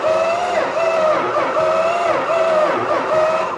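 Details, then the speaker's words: Plymouth Superbird, Petty Blue, after starter and alternator swaps: starter whine rises and dips evenly about every 0.7 seconds; cranks over normally with good compression. "sweetly sounds like it has compression yeah so it actually cranks over so I don't believe it"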